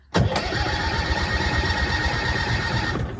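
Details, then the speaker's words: 1966 M274A2 military mule, cranked with its mechanical starter lever before starting fluid was added: strong, even cranking for about three seconds at a steady rate without firing. Healthy cranking; it later fired on starting fluid. "it actually turns over really good that sounds healthy"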